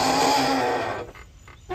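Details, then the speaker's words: 2008 Yamaha YDRE (G29) electric golf cart with internal transaxle brakes, also failing to hold on hills with parking brake: loud wavering groan with low and higher tones fading as it brakes to a stop. "i'm sitting in my 2008 yamaha ydre electric golf cart also known as the g29 and i have some braking noise so i'm going to show you that now"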